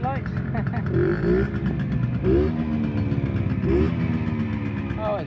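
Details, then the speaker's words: Restored 1972 Gilera 50 Trials two-stroke, warm and started without choke: crisp revs rise and fall cleanly several times and settle without hesitation; running sweetly. "So I'll fire it up. I just turned the fuel on. Won't need no choke because I fired it up a minute ago."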